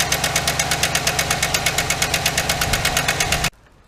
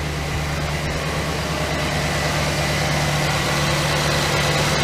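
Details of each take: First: 2008 GMC Sierra 1500 5.3 LS V8 at idle with coil packs zip-tied aside and rockers exposed: sharp, regular ticking about eight times a second until shutdown; a bad, likely collapsed and stuck AFM lifter is not putting enough pressure on the rocker arm. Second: 2008 GMC Sierra 1500 5.3 V8, first start after replacing a failed AFM lifter and sitting a week: steady, even idle with a smooth low rumble and no ticking, tapping or exhaust leak; normal idle.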